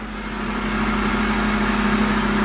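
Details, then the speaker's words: Salvage-title BMW just refilled with about 6.5 quarts of 5W-30 full synthetic and no leaks seen. Steady, even idle with a smooth low hum and no knocks, ticks or rattles; normal idle. "Let's step out, make sure there's no leaks. Everything sounds healthy,"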